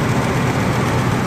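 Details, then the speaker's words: Ford 4.6 Triton after a broken spark plug was removed and replaced: rough at first start with smoke from WD-40 and grease burning off in the cylinder, now a deep, even, smooth note with no misfire. Normal running. "so it should like it was a little rough when I first started now you can see it's real smooth now"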